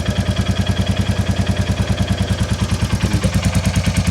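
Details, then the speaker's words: 2022 Royal Enfield Classic 350 single at idle after a quick valve clearance check and adjustment: a sharp, even chuff on every firing pulse, about three per second, from a blowing exhaust joint; exhaust leak still to be repaired. "that's that exhaust blow but don't worry about that cuz this exhaust will be getting sorted"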